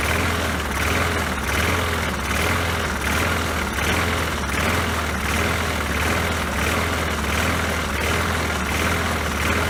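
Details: Poulan Pro mower that had been sitting, after refitting the forgotten throttle spring: small engine runs at an even, steady speed with no misses, surging or knocks; healthy.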